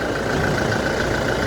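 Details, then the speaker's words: 2018 Toyota Hilux diesel after injector service for a cylinder 1 misfire (P0301): steady, even clatter at idle with no stumbles or missing beats, the engine ticking over smoothly. "صافيه ناعم ما شاء الله"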